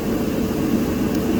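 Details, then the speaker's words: Whirlpool-family Bravos-style dryer that previously wouldn't start, now started from the button and running normally: steady even drum hum, constant low rumble, no knocks or squeals. "And with push the start button, we're now up and going."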